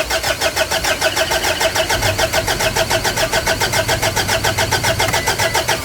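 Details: Car engine with a long, hard starting problem, glow plugs being checked for resistance: steady starter chug around three and a half beats a second that keeps turning over without catching; cause suspected, not confirmed.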